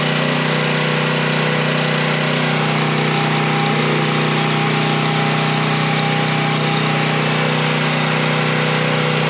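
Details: Coleman Powermate 3250-watt generator after carburetor cleaning and plastic-welding a cracked fuel inlet, started on choke: loud, steady engine drone with an even beat and constant pitch, holding speed without stumbling; normal running.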